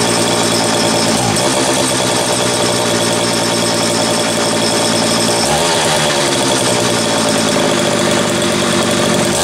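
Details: Homelite 330 chainsaw test run after intake boot replacement, the only fault found: fires up and runs busy and even, several throttle blips with no bogging or stumble; normal running.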